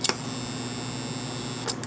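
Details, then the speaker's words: American Flyer model train reverse unit, an AC-powered solenoid (can run DC) ratcheting a mechanical contact drum, switched on: sharp click, steady electrical buzz, another click. Solenoid pulling in and ratcheting the drum normally. "and a buzz. That's a solenoid. This has a ratchet inside here."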